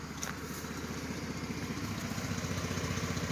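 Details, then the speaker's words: 2006 Jeep Grand Cherokee after test drive, with fresh oil and new air filter: smooth, even, quiet idle with steady low pulse, no rattles, ticks or exhaust rattle; engine healthy. "You can hear it runs good. It's nice and quiet"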